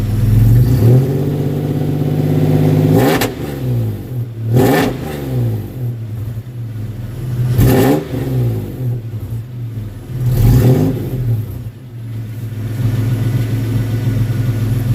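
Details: 1992 Toyota 4Runner SR5 V6 4x4, 3.4 engine swap, new Flowmaster exhaust, factory airbox, first fire-up: catches and settles to a deep steady idle with several clean throttle blips; normal start and rev, owner unsure if too loud.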